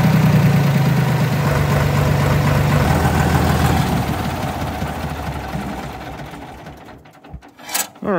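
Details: Deutz D4506 tractor diesel test run after running out of fuel, fuel filter swap and injector pump air bleeding: even regular clatter about four beats a second, steady and smooth before fading; engine runs healthy.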